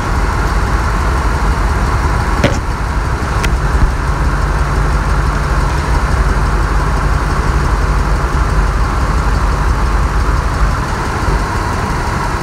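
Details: 1999 Ford Expedition 4.6L V8, check engine light on but no misfire code; rough, uneven idle with irregular stumble from cylinder 5, injector connector not fully plugged in after owner's own tune-up; plug, wire, coil good; fixed by seating connector.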